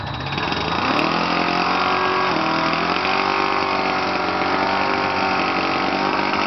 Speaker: Just a minor exhaust leak. Yeah, just a minor exhaust leak.